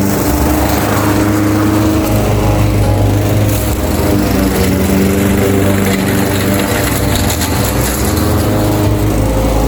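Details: Craftsman 21-inch mower with Honda GCV160 5.5 hp engine, reportedly non-starting with a dry tank, cutting grass at level-two height: a strong, steady drone with some music over it, no misfire or surging. Healthy; technically nothing was wrong.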